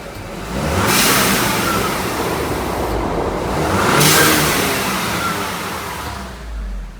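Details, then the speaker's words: VW Eos, warm engine, after fitting a new diverter valve and spacer: two sharp free revs rise and fall cleanly with a crisp rush of air, no stumble; the earlier misfire and boost loss are gone. "That is a lot more crisp. You can hear it's not it's not losing boost at all. Before we was losing boost."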